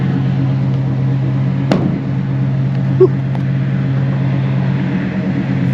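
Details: 1987 GMC G3500 Rally one-ton van with an early 350 TBI V8 and an aftermarket exhaust thought to be Flowmaster, idling: a low, smooth, steady V8 burble with no ticks or stumbles. Healthy, normal idle.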